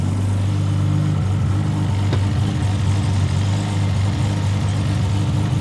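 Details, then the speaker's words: Toyota Supra MK4 with a newly built 2JZ 3.4 turbo billet engine, on a dyno; a low, even idle with a steady beat and no knocks or misses, very quiet, stable and smooth. "Es ist sehr leise Der Motor ist sehr leise Es ist sehr cool, es ist sehr stabil Der Motor läuft sehr laufruhig"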